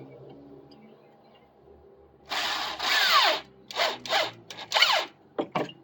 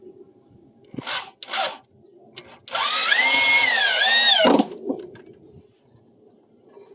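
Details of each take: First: Drill driving a screw while rebuilding a deck section: bursts of high whine break into uneven rattling chatter as the bit jumps and cams out of the screw head because it is not seated properly. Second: Drill driving deck screws during a deck repair, with the bit fully seated in the screw head. Smooth steady motor whine that sags slightly as the screw bites, with no chatter or bouncing; normal screw driving.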